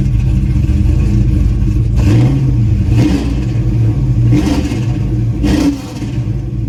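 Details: Pontiac GTO, warm, after new spark plugs: quick throttle blips hesitate and sag on the way up, with a slight miss lingering. Owner still hears a stumble off idle; cause unconfirmed until driven.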